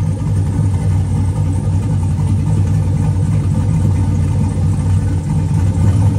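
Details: Turbo 4.8 V8 Blazer with Elgin 1838P sloppy stage 1 cam (Trick Flow 216/220), sat since March 2022, warming at about 130 degrees: deep steady idle settling down with mild rhythmic lope, no hard chop. Normal lumpy cam idle.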